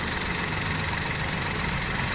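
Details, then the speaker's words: Used car being checked before purchase, engine running at low rpm: even, steady note without heavy vibration, knocks, rattles or rough noise; engine judged normal and healthy. "Hai posisi mobil dalam keadaan masih nyala ya sobat ikan mau bila dia tidak terlalu bergetar pada RPM rendah interaksinya mobil normal terus tidak mengeluarkan suara bising pada mesin atau suara kasar ya"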